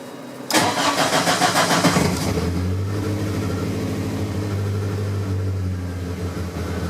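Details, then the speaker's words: 1983 VW Rabbit GTI, 16V ABA engine with individual throttle bodies on Holley Dominator EFI, small fuel prime: brief crank, catches at once, flares with lumpy rev then settles to steady even idle; clean start, less fuel works better. "Oh, there you go. It's better maybe with a little bit of fuel prime, but not very much."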